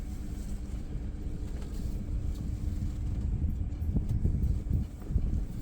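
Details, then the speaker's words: Neglected car being revived, brakes rechecked while rolling after an earlier scraping from the brake pads: only low road rumble, no scraping or grinding from the wheels; the scraping is gone and the brakes sound clean. "Okay, the scraping sound's gone away on the brake pads. That's good. That's what I wanted."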